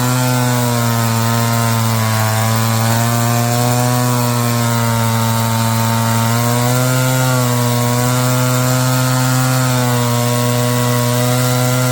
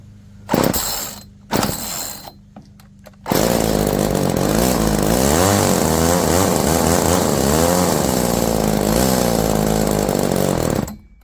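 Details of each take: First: Roll G2000 two-stroke chainsaw winch after carburetor diaphragm replacement and high-low mixture screw tweak, pulling under load: strong steady drone, even pitch with slight sag and recovery; runs clean and healthy. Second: Roll G2000 two-stroke chainsaw winch carburetor, choke eased, idle screw turned up with no effect: pops then wavering, hunting note that won't settle; poor idle, high-low air-fuel mixture screw may need adjusting.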